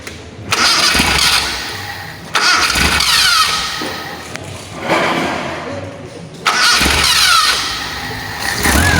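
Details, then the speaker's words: Carburetted petrol engine, fuel cut solenoid function test: several short cranks catch into a brisk, even idle each time, showing the carburetor solenoid works. "Oke, untuk membuktikan solenoidnya, pertama kita hidupkan dulu."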